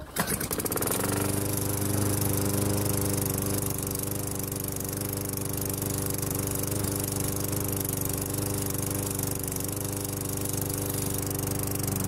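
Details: Craftsman 6.75 HP engine swapped onto a Lawnboy self-propelled deck, fresh oil, blade fitted: catches within a second, steady even single-cylinder beat, no misses or surging; running normally.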